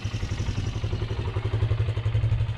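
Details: Polaris 300 Sportsman quad after engine rebuild with a cleared, previously blocked head and repaired exhaust/muffler: even, steady thump at about nine beats a second with no stumbling or dying and almost no smoke now; a clean, healthy idle where before it would die at idle.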